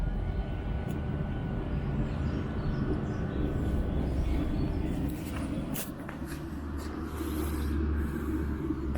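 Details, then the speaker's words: Webasto Thermo Top V fuel-burning park heater on a Land Rover Discovery 4, pre-start: steady low hum of fan and pump, apparently while the glow plug heats and fuel is injected before lighting; normal phased warm-up. "there's still some humming going on so i think that glow pug's got to heat up and it's got to inject a bit of fuel in and i think it's waiting"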